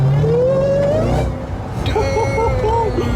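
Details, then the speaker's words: 2018 Jeep Trackhawk, supercharged Hemi, rebuilt after a wreck, on a light pull: thin high whine climbs with revs over the engine roar, then wavers as the throttle eases; normal supercharger whine. "And this thing is just like whistling, man. It's whining, man. It just wants to go."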